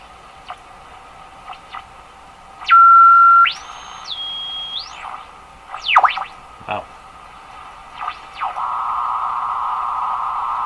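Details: Westinghouse 535 radio after front-end capacitor replacement, during IF alignment, tuning the dial: clear whistles jumping in pitch and sweeping chirps; spurious oscillation, cause not pinpointed.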